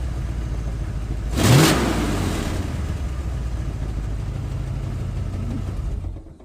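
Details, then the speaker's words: 1990 Ford F250 V8 idling rough and lumpy, loud puff then uneven chuffing beat, shaky exhaust; sounds terrible mainly because the two EGR pipes into the catalytic converter are cut; exhaust leak. "Sounds terrible, but biggest reason it sounds terrible right now, reason number one, is the two EGR pipes that go into the catalytic converter are both cut."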